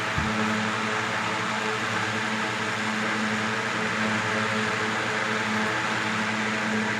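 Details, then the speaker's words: 1970s 16-inch Toastmaster box fan with replacement 1940s desk-fan blade set, on medium speed: steady even whir with constant low hum, minimal vibration, no rattling, well balanced; normal running. "Vibration, minimum vibration. There's no rattling. It's running very smoothly."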